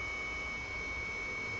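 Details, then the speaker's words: Sony HDR-HC3 HDV camcorder after replacing a shorted capstan motor that had left it dead with no power, transport fully rebuilt: smooth, steady high-pitched whir at high speed with no ticking, catching or speed wobble; fully working, normal transport. "And let's just go to high speed. And yes, she is fully working."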